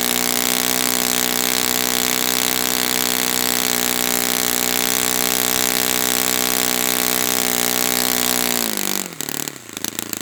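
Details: Brand-new Saito FA-100T twin on a test stand, break-in run at full throttle: strong steady high-pitched buzz, even and unwavering, then a quick drop as it shuts off; rich, oily exhaust, not lean, clean run.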